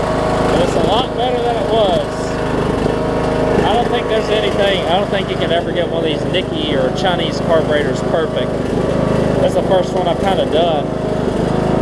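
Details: Troy-Bilt Bronco, Briggs & Stratton 18hp Intek, Chinese Nikki-copy carb with drilled low-side jet, air filter on, low fuel; blades running, speed wavers gently, mild surge remains, owner expects a full tank to reduce it.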